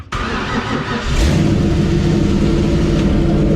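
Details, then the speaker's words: 1966 Mustang at its first start in 40 years: the engine catches and settles into a high idle, smoky, with a steady whirring grind on top; the starter is staying engaged after the start. "yep the starter are staying engaged that's definitely what's happening"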